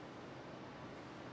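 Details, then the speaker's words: Intel TS15A stock CPU cooler on an overclocked CPU running a Blender render: steady even airy rush, fairly loud but not bothersome; normal fan noise under load. "소음이 그냥 들을만해요. 그렇게 작은 소리는 아닌데 그렇다고 막 거슬린다 막 이 정도 수준까지는 아닌 것 같아요."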